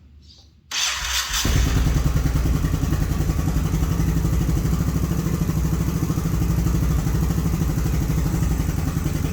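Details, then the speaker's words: Honda Shadow twin (four spark plugs, two cylinders) with carbs cleaned and rebuilt, new spark plugs fitted, about 28 miles since revival, warmed up: lumpy steady idle with a light tick, owner suspects front cylinder; cause unconfirmed. "as you can tell you can hear like a tick i think it's coming from this front cylinder here"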